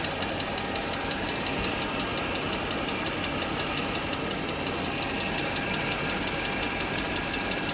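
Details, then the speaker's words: 2008 Mercedes-Benz GL 550 petrol V8, non-runner saved from the scrapyard, started after a long sit with a replacement used SAM module: steady light tick about twice a second at idle, owner suspects a lifter not yet pressurized with oil; some smoke and a water drip noted. "Sounds like it might have a lifter that's not pressurized with oil yet."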